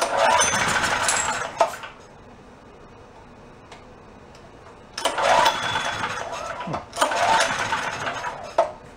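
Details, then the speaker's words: Roadside-found Chinese knockoff mid-size generator after carburetor work, running worse than before; owner wonders if the main jet screw wasn't down far enough. Catches, runs ragged in short bursts, dies and restarts: rough running, surging and stalling, fuel starvation suspected. "but I took it back apart I really didn't see anything I was wondering if I possibly didn't have the main jet screw down far enough"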